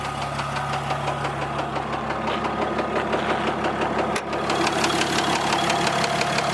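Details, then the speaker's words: Fourth-gen dually diesel truck after a tune file install, warm at about 180°: a steady, sharp knock of about three per second over the diesel clatter, with slight blow-by. Engine knock; the owner thinks it may be an injector, not confirmed. "I don't know if you guys can hear that knock in but it's like pretty obvious little bit of blow by it's nothing crazy though"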